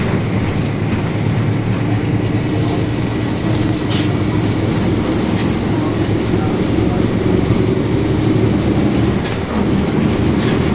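Steady droning hum under the cabin's road rumble and rattles, holding a constant pitch as the bus cruises; a loud, worn differential.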